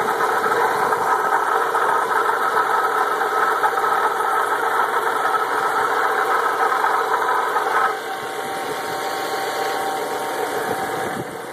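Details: Audi S4 with a steady whirring rattle, at first constant and later intermittent above about 2500 rpm, which stopped after two weeks. The owner suspects pulley bearings, camshaft, crankshaft or turbo; the source is unconfirmed.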